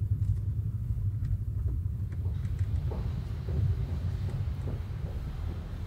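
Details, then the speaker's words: Honda car driving on a bad road: heavy low rumble with scattered dull knocks from the front suspension, caused by play in the worn inner and outer tie rods, replaced with new genuine ones. "మనకి old టైరా లో అయితే చాలా play ఉంది ఈ play వల్లే మనకి sound అయితే వస్తది."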